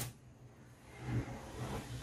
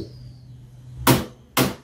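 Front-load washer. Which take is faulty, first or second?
first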